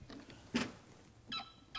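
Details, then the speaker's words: Mechanical Bosch MFI fuel injector on a hand-pump tester with a fume containment bottle: short high squeaky chirps, three bursts in two seconds as the pump is stroked, judged a good injector; normal fuel injector chatter. "Hey, that's not bad. Hear that squeak?"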